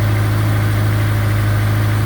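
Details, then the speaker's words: 2004 Honda S2000 after rod bearing replacement done through the oil pan, first start after a jump start on 5W30 oil: a smooth, steady low idle hum with no knocking. Rod knock gone, healthy bottom end. "But we put the jump box on there and fired it up, and now, as you can hear, no rod knock."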